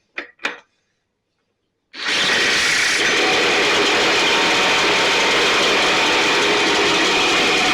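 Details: STIHL BR 450 two-stroke backpack blower after cleaning and repair (idle had fluctuated and could not be adjusted): it fires and holds a steady, even high-pitched roar with no surging, running much better though still loading up slightly, with carbon buildup suspected.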